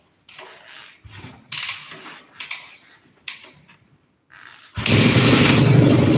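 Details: Motorcycle in neutral after a throttle body vacuum sync and fluid change, fuel on; after handling clicks the engine catches at once and settles into an even, steady idle with no misses, normal start and idle.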